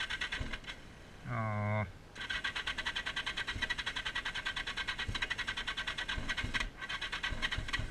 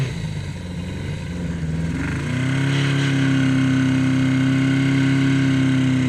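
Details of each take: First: 1981 Yamaha XS1100 running Speeduino, after plug cleaning, owner says it is running rich: thin, lumpy surging idle with uneven pulses at a held throttle, one cylinder barely firing; misfire. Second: 1981 Yamaha XS1100 cafe racer on Speeduino, first test ride in rain: note climbs and holds a clean steady drone under load with no stuttering, running as it should after earlier stumbling.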